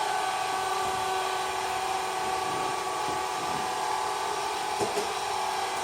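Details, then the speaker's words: Aldi Easy Home S570 robot vacuum after teardown and cleaning: steady high motor whine with a smooth even hum, the earlier buzzing gone; runs normally. "As you guys saw in the video, the robot will try to make its own decision to turn whenever it wants to, but actually it looks like the robot is running smoothly with no issues at all."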